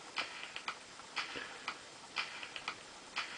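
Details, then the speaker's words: NSM jukebox CD mechanism after repair with new laser, cleaned gummed-up cogs, micro switch and board checked: faint light ticks about once a second, no skipping or struggling; played several hours on test without faults or jumps. "So yeah, so basically I've had it on test now for several hours, and I'm not finding any faults on it or any jumps or anything like that. And it's holding the play pretty well."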